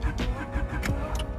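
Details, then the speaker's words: Honda Integra with about 5000 miles on the engine, compression lost after a drive: cranking beat limps with one weak stroke each cycle instead of an even chug; one cylinder has no compression, cause unknown. "it sounds like it's off a beat and that's because one of the cylinders isn't doesn't have compression so we fired up now it sounds like a Subaru"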